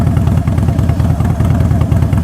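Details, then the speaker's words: Motorcycle with open pipes, push-button start: deep loud lumpy potato-potato beat, steady and even; healthy V-twin idle. "Push the start button. There it is. Oh yeah. Oh, that thing sounds beautiful."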